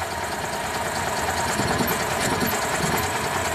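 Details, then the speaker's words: 2004 EZ-GO gasoline golf cart, no-start after driving through a deep puddle: steady, uneven cranking churn with no firing; ignition feed drops out, bad contact somewhere between battery, foot switch and ignition switch, light green foot-switch wire shows no good voltage. "so somewhere between battery the foot switch and the ignition switch there is a bad bad contact"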